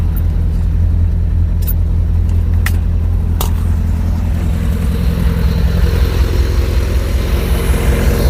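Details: Skoda Estelle 120 with Rover K-series swap, after boost start: deep steady low rumble firing evenly; engine that ran on three cylinders now runs on all four and idles smoothly.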